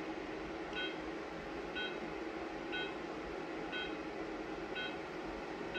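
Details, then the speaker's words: Remy FX45 Class 4 45 W therapy laser in frequency mode: short high beeps about once a second over a steady room hum, signalling normal emission with heat coming out of the emitter. "now you can hear the beeping sound that means that immediately after that beeping sound there's heat that's coming out of the laser"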